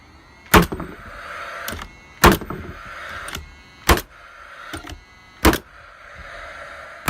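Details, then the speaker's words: Paslode framing nailer firing: sharp shots about every 1.5 seconds, some weaker and duller, leaving different holes; misfire, owner suspects the old nails aren't being grabbed properly. "so some of these holes are a bit different you can hear it as well that's a misfire it's probably because these nails are it old and when you go to fire it just doesn't get it just doesn't grab it"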